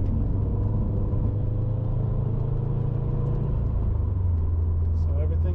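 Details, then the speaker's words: 2008-on Subaru STI (GR/VA) after stumble fix, in Sport Sharp around 3000 rpm; deep steady drone pulling evenly under load with road rumble, no hesitation or stumble, smooth throughout. "great we're in sport sharp now no hesitation at all can slow down can drive through it smoothly nothing it's perfect"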